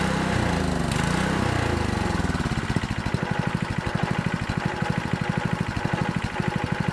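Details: Honda GX200 water pump engine after carburetor cleaning, fresh gas: after a rough start pops along at a steady, slightly uneven beat, only with choke fully closed; won't run off choke, carb to be rechecked, cause unknown.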